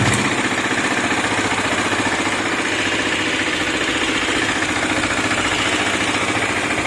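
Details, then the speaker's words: KTM Duke 250 after repair replacing engine oil, oil filter, rocker arm, timing chain tensioner and camshaft: even single-cylinder idle with quiet regular pulses, no chain rattle or valve tapping; engine now silent, normal idle. "देखो तो आपने आवाज सुनी गाड़ी बिल्कुल silent हो गई है इसमें कोई भी आवाज नहीं है"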